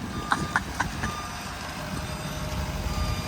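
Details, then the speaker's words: Ford 6.7 Powerstroke diesel single-cab truck, bought damaged: quick sharp high beeps about four per second over low diesel rumble while reversing; backup alarm working normally. "Oh, backup beeper, dude. Yeah."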